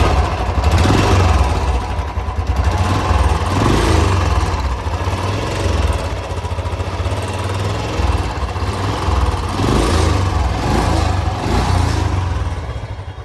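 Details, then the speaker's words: Motorcycle engine running with an uneven busy internal mechanical clatter over the exhaust beat; excessive engine noise, cause not yet determined before teardown. "तो इसके अंदर engine के अंदर show रहा है बत ज्यादा तो एक बार आपको चेक कराएंगे किस चीज का शोर है"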